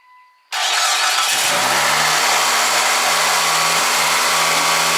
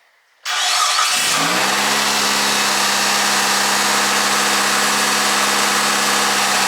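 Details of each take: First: 2003 Mitsubishi Galant, 188,000 miles, cold start: engine cranks, catches and over-revs to about 2,500 RPM for 10-15 seconds before coming down, also when hot; idle air control valve suspected. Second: 2003 Mitsubishi Galant after replacing faulty idle air control valve: engine starts, flares only to about 2,000 rpm, then settles to steady normal idle, versus the previous 2,500 rpm high idle for 10-15 seconds; no codes were thrown.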